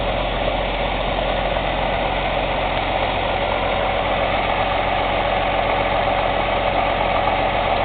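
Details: Cummins ISX CM2250 diesel idling during DPF regeneration: loud, sharp, fast uneven aerodynamic chuffing from the intake, about three or four a second, no mechanical noise or metallic knock; owner suspects turbo chuff during regen.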